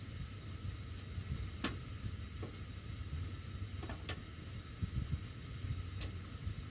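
Scattered sharp ticks every second or two, irregular, over a quiet low blower hum; ductwork ticking while the heat runs, cause unclear.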